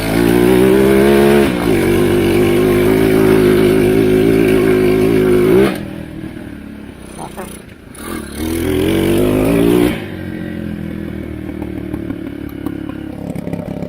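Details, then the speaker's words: China ATV abandoned seven years, being test-started after reassembly, possibly needing choke, idle set low: small engine revs up and down roughly with sharp irregular pops and bangs as throttle drops off, backfiring heavily. "Backfires like crazy."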